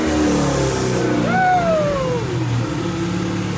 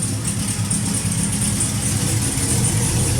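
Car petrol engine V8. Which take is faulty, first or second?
first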